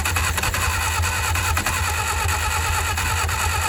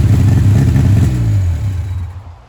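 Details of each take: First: 1959 Reliant Regal Mk5/Mk6 three-wheeler, first start attempt after 20+ years unrun, two-stroke fuel in carb; steady cranking about three turns a second, splutters but never runs; carburetor flooding from stuck float. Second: 1959 Reliant Regal Mk5 three-wheeler, first run in 20+ years, on full choke, good oil pressure and heavy smoke: deep lumpy low rumble running briefly then fading; runs on choke normally.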